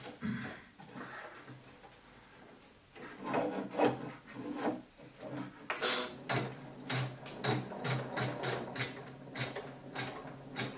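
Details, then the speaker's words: Janome 500E embroidery machine after repairing a knocking fault: light uneven stitching clatter with soft rubbing and no heavy knock; sound now normal. "Ну вот, звук сейчас хороший."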